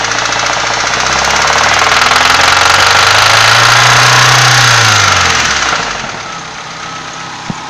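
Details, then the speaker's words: Nissan SR20DE engine: a sharp, regular knock about four times per second that follows revs. Cause unknown; the valve cover was removed and the camshafts and bearing caps were in place with no visible cracks. "Собственно, не пойму я, что это за шум."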